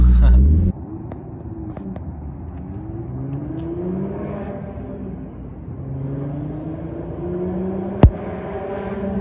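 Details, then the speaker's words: Nissan 350Z, stock HR block, single turbo, street tuned at about 14 psi boost, fuel now correct and not lean: smooth note climbs steadily through several gear pulls, no stumbling or popping, wastegates quieter; normal acceleration. "It sounds really good though. Like the motor, it just sounds way more healthier, and you don't hear the wastegates as much. It like doesn't sound like it's starving."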